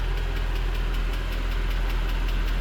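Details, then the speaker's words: Mercedes C63 AMG Edition 507 V8 (MCT transmission) idling with deep rumble and light sharp tick about five per second, smokes badly at startup, possible misfire; valvetrain tick, cause unconfirmed. "you guys hear that tick oh man there's a a little bit of a tick"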